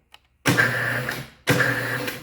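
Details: Weld positioner tilt gear-motor during wiring-complete testing: two short, even bursts of whir with a steady mid-high tone, starting and stopping cleanly; tilt runs normally while table rotation still fails to turn.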